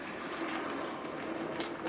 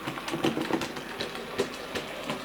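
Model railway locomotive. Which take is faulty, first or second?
second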